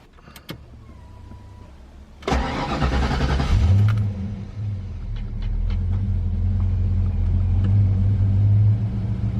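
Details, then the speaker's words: 1993 Ford Mustang Cobra 5.0L V8, just after replacing a fuel injector (was running on 7 cylinders, hesitating 2000–3000 rpm, intermittent check engine light): cranks, catches, settles to a lower, even, slightly lopey idle, back to original after sitting ~100 rpm higher; normal start and idle. "we just started it up and right away i noticed that the idle is a little lower um it's back to where it was originally for a little while there the idle was probably about 100 rpms higher and now it's back to it's kind of a more uh lobey idle"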